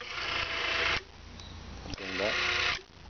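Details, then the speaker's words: RCS SURE 25-10 CCW actuator with SCC-10 servo board, after resetting the open cam so the motor stops at full counterclockwise: two short high-pitched motor whirs, each cutting off cleanly as it stops at its limit. "Once you do that, get your Allen wrench in there, snug it back down, and it's only got to be snug. You don't got to crank on it. Now if we do this right, the motor shouldn't run."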